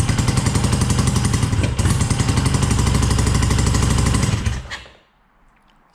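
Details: Dnepr motorcycle first start after new pushrod seals, cylinder base gaskets and valve clearance check; left carb has a starting issue: lumpy uneven thumping about 220 beats a minute, like only one cylinder firing, likely a misfire.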